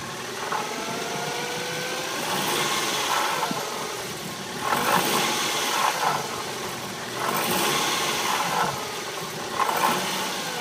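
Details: BMW E46 318i Touring, year 2000: petrol engine idling and blipped repeatedly, harsh rattle flaring up as the revs rise.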